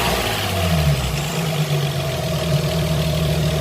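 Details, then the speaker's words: Opel V6 after an engine swap, with the noisy belt idler pulley repaired and refitted: smooth, even idle with a steady drone and no squeal or chirp. Engine is quiet after the repair. "und dann gucken ob man noch das geräusch hört man nichts mehr"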